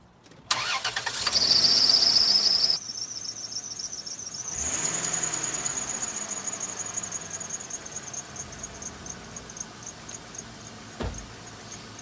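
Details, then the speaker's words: 2000 Dodge Grand Caravan serpentine belt squeal: sharp high squeal right after start settling into thin steady chirping whistle; squeals mostly when cold, sometimes climbing hills, almost always in reverse. Cause suspected, not confirmed. "usually it sounds like that when it's cold now it's you know it's actually warmed up but when it starts it's making that noise sometimes when it goes up hills it makes that noise it almost always makes the noise when it's backing up"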